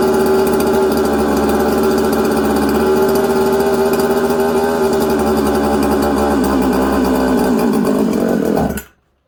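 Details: New 266 chainsaw build on first firing, before its intake flange was sealed and it passed pressure and vacuum tests. A high buzz that wanders and sags, won't hold idle and is hard to tune, then cuts out; erratic idle, air leak suspected.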